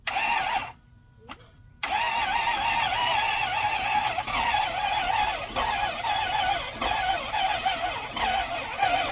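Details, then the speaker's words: Junkyard Toyota V8 freshly installed in a 1st-gen Tundra after blowing two connecting rods: a steady starter whine with weak, uneven puffs on sprayed starting fluid that never catch. Crank, no start; the fuel rail leaks and the owner suspects no fuel pressure. No codes found. "my fuel rail is leaking so probably not getting fuel pressure just to verify cuz I didn't get it to fire up"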